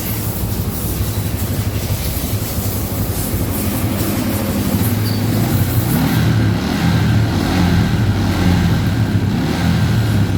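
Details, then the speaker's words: Yamaha Jupiter MX New with new battery, during charging check while revving: small single buzzes steadily, then rises smoothly and evenly as the throttle opens, no misses or rattles; charging fine; normal revving. "Now it's on, but it's off at 1430. Try starting it. Well, that's it. It's charging fine."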